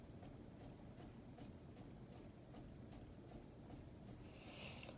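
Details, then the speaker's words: 44-inch brushed nickel Hunter Coastal Breeze Plus ceiling fan on medium: faint regular taps about twice a second over a soft airy hum as the wobbling fan's under-part knocks the desktop machine; ceiling fan wobble tapping. "if you guys hear what that noise coming from that's coming from that thing under the ceiling fan hitting the desktop machine tapping the desktop machine as the ceiling fan is wobbling"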